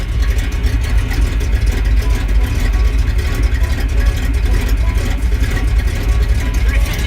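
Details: C10 truck with hard starting, freshly degreased engine: a deep, lumpy idle with irregular thumps, a couple per second, and no steady rhythm. The engine runs rough and shakes at idle.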